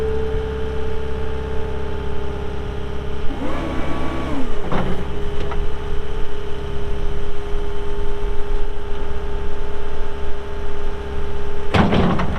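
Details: 2021 Caterpillar 259D3 skid steer diesel, 2,730 hours: settles into a steady, even idle hum with a short rev in the middle; no knocks or rattles, normal healthy idle.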